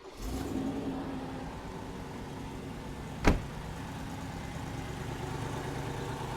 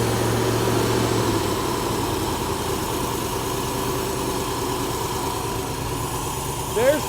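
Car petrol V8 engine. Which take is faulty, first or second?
second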